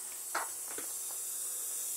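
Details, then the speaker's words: MFJ-4275MV power supply with a known capacitor problem, at power-up: quick crackling bursts over a thin steady high hiss, a frying sizzle from inside. Small capacitors on one side suspected, not confirmed. "see if we hear exactly where the um uh frying eggs are coming from inside this beast of a power supply"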